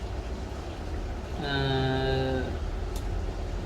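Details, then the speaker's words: Uni-T UTP3315 bench power supply load test with a 12 V bulb, voltage raised from 5 V (3.69 A): low buzzy hum swells as load comes on, then one sharp click as the transformer tap relay switches over; normal behaviour. "අන්න දැන් ට්‍රාන්ස්ෆෝර්ම එක switch වුණා. ඒක සාමාන්‍ය මේ ගොඩක් වෙලාවට බලන්න පුළුවන් දෙයක් ට්‍රාන්ස්ෆෝර්ම එක ස්විච් වෙන එක."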